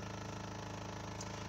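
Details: Renault Laguna 3 Coupé 2.0 dCi 180 diesel at idle: steady even low beat with a faint buzzing rattle as vibration reaches the dashboard; lower and upper engine mounts already replaced, source not yet found; idle vibration rattle.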